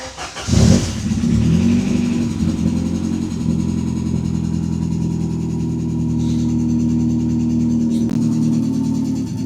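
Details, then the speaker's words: Ford Sierra Cosworth RS under restoration, first drive after reassembly: engine fires and pulls but revs climb sluggishly and hang low; it runs oddly and struggles to gain revs, no warning lights, cause not identified. "Ça tourne bizarrement quand même. Hein. C'est quoi que tu trouves bizarre? Elle a du mal à prendre ses tours."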